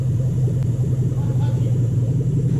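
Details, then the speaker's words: 2007 Toyota Hilux Vigo 4x4 swapped to a 3UZ Toyota V8 with manual gearbox: deep, smooth, even rumble on a small throttle rev, no misses or knocks, now running properly after a right-hand-side fix (belt suspected earlier). "oh have i got the touchy throttle settings in it sounds good to me"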